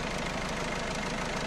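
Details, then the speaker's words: Newly installed 1.6 HDi diesel engine, fresh oil, idling with a dense metallic rattle from the timing chain side that grows louder and fades; suspected chain noise, not confirmed. "ظهر فيه الحس هذا شكون قالنا حس الشان الحديد اللي دوركا دوركا دوركا والبروك وف شكون قالنا الحسا بعورات"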